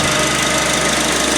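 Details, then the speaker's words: Honda Accord with a brand-new replacement power steering pump after a faulty one: steady, even engine hum with no squeal, whine or bearing noise while the wheel is turned lock to lock; the pump is healthy. "so you're not getting that squealing noise and that baring noise and all that so you looking good YouTube left and right left and right so the pump sound good all the way to the right"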